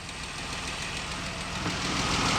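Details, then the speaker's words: 2012 Dodge Durango 3.6L Pentastar V6 idling, morning start before fully hot: light quick regular tick over engine from the valve train, early-stage failing roller rocker; likely rocker arms only, camshaft may be saved. "see that's a tick that's at the beginning stages so chances are you just only might need rocker arms and not a camshaft"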